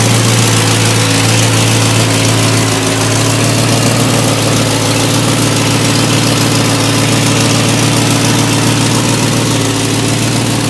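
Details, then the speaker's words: Ford F100 XLT with 351 Cleveland V8, first start after rescue, idling on gas: steady idle with quick puffing tick three to four a second, a rotten exhaust leak underneath; owner suspects a second leak on the other side. "That's on gas too. It's got a horrid exhaust leak down there. Rotten exhaust leak."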